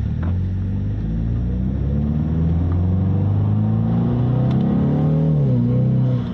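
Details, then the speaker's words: Ford Mustang EcoBoost (direct-injected) pulling strongly under load on a 91°F day, just after CRC GDI valve and turbo cleaner treatment; engine has good compression; smooth, even rising note, no misfire or flutter; feels slightly stronger than usual; normal. "It's running like it normally does. Nice and strong, which, considering it's 91 degrees out, it definitely feels like it's pulling just a tad bit stronger than it usually would."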